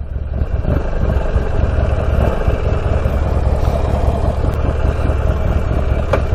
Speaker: Idle's at 1,000. It's pretty low idle.